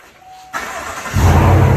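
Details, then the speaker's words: 2019–2021 Chevrolet Silverado 1500 with a DIY cold air intake fitted: starter catches and the engine fires into a deep, even rev and holds steady. Normal engine start. "Oh yeah. Oh, now that's a good sound right there."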